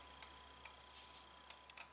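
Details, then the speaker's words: 2002 Mercedes-Benz ML320 with code P0400, engine off: faint sharp clicks as the EGR vacuum solenoid is energized via power probe, clicking normally; fault was a plugged EGR pipe. "I'm not sure if you you guys can hear that but I can hear clicking"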